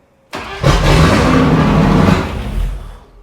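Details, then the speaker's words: Range Rover Classic automatic, after a new distributor replaced a corroded one: cranks, catches and revs briefly with a lumpy, uneven beat before dying; rough running, injectors suspected. "No, still poo. Gotta be injectors or something there."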